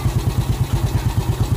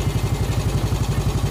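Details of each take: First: Yamaha Vega ZR single-cylinder after piston and camshaft rebuild: even thumping idle with light click near the clutch; suspected worn clutch housing rubbers and noisy centrifugal clutch shoe rubbers, clutch plates being replaced. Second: Yamaha Vega ZR single-cylinder after piston and camshaft work and one valve guide replaced: steady brisk idle, smooth, no valve ticking, throttle set slightly high; oil circulating to the head.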